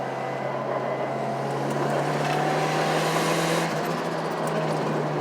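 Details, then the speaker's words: Untuned turbo car on a 2 psi spring with new boost controller, third-gear full-throttle test pull: loud steady engine drone with a strong airy hiss over it; charge pipe leak suspected, not confirmed. "sounds like i'm leaking i got a i got a charge pipe leak"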